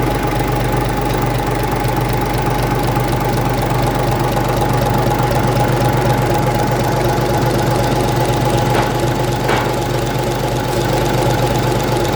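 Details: 1965 Gardner 6LXB 180 marine six-cylinder diesel on test stand after rebuild (it had failed 80 hours after a previous overhaul): steady even clatter at constant speed, about four beats a second, faint whistle on top; healthy idle.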